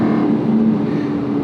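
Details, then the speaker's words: Rebuilt Aston Martin V8 Vantage, dry-sump V8, accelerating on the road: strong, smooth engine note with steady low tone pulling cleanly under load, no misses or knocks; healthy engine. "you have a wonderful V8 dry sump 50/50 weight distribution the steering is is oh it's just fantastic it sounds amazing it feels great in her"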